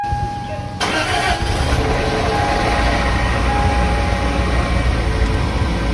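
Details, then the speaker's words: Toyota Corolla in an oil-burning experiment series, tested to see if it will start: starter cranks briefly, then the engine catches cleanly and settles into a steady, even run with no rattles; normal, healthy start. "Wow, wasn't expecting that. And you know what? I don't hear any rattles."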